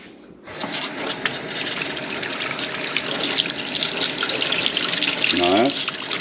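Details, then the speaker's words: House tap on a well system after fixing pump cycling by pressurizing the pressure tank to just over 50 psi: an even, continuous hiss with no pulsing or surging. Steady water flow, fixed. "no surging this is a clean flow of water [Music] we're going to call that fixed"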